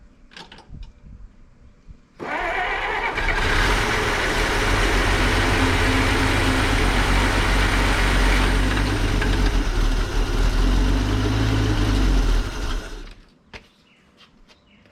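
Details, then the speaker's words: 1933 Dodge Brothers sedan, stock flathead 6, first fire-up after months sitting, on starting fluid outdoors: catches first try and runs loud and fairly even about ten seconds, then dies as the fluid is used up. "first try there. Sounded pretty good. I think that's all starter fluid."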